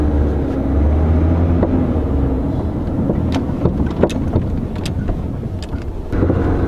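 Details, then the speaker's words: 2008 Chevy Malibu driving over bumps: scattered dull knocks from front suspension, loudest left front; worn upper strut mounts (top hats), fixed by replacing both front complete shocks. "the noise is mainly coming from the left French that's where you hear it and feel it the most"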